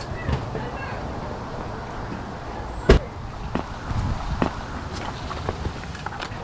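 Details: 1995 Toyota Tacoma 3.4L 4x4 with 232,000 miles, at idle after the rusted exhaust was replaced with a new muffler and exhaust pipe and the O2 sensor refitted: a low, even idle rumble with no rasp or leak puffs. Normal exhaust note.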